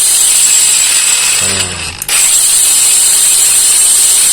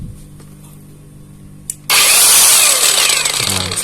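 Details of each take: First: Kamolee cordless brushless battery angle grinder after greasing the gears to quiet a rough gearbox: three short bursts of steady high whine spinning down cleanly, only a faint gear hum left; runs smoothly. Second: Kamolee cordless battery grinder switched on: loud, gritty, coarse high-pitched whir despite grease already applied to the gears. Rough gear noise before the smoothing fix.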